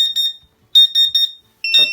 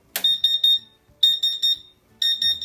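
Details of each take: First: Sharp high-pitched beeps in quick bursts of three or four from a CW-5000 laser cutter water chiller: the flow alarm sounds because the pump motor, which was shorting the 24 V circuit, is unplugged. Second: CW-5000 water chiller for a laser cutter after its shorted water pump was replaced. At switch-on, three quick high beeps repeat three times, then a steady tone: the normal startup alarm before the pump runs.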